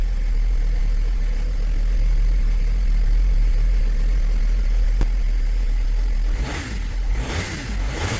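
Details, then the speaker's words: 2007 Mercedes-Benz ML320 W164 after replacing the power steering pump and bleeding with Pentosin CHF 11S: engine ticks over steadily with only a low hum, no whine or groan; the steering noise is gone. "that we solved the issue with the noise of the steering pump, let's go ahead and tear this down and see what caused all this noise to happen."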